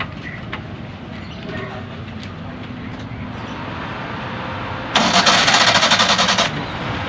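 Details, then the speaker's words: Toyota Corolla that is very noisy when started: quiet background, then a harsh metallic grinding burst of about 1.5 seconds during cranking. Abnormal grinding. "sobrang ingay Oh okay hindi normal ang tunog abnormal bakit ganon akala mo may ginigiling na"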